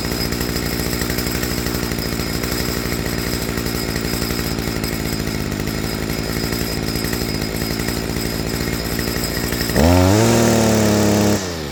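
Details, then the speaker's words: Stihl FS55R two-stroke trimmer after a HIPA carburetor swap, with the low-speed screw tuned to its optimal spot. Even, fast idle with no surging, then a clean, hesitation-free rev to wide open throttle. "Okay. So, it's probably hard to hear on camera, but right here is about the optimal spot for it."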